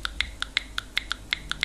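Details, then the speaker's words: Frequency-driven (not voltage-driven) buzzer, marked with + and −, fed plain DC from a battery: only sharp, thin ticks about five or six a second and no steady tone. It needs a frequency signal to sound. "lo único que vimos es un click no suena tal como pasará con este Ahora cuando lo conectemos suena pequeño clic"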